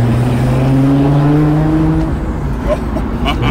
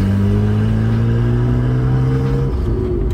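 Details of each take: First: Nissan Skyline R32 GTR back running after being broken, driving: loud deep exhaust drone rising and easing with throttle, no rattles or leaks. Normal exhaust note. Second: Nissan R32 Skyline GTR under acceleration: a loud, raw, unmuffled drone with a rising tone and audible turbo whir, pointing to an exhaust leak or separated downpipe.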